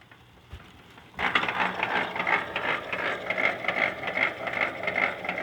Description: can anyone tell me why my bike is making that loud knocking sound please